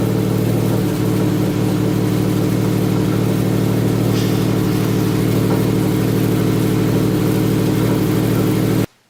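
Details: Freshly rebuilt EJ257 flat-four at its first start after new head gaskets and cylinder heads, installed in the car: steady, even idle with low rumble; the builder remarks something is not right and sounded weird.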